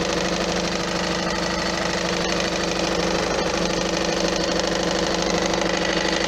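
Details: Peugeot 407 1.6 HDi 110 diesel: fairly regular knock about twice a second over the diesel clatter, heard after acceleration; the flywheel is due for replacement, suspected cause.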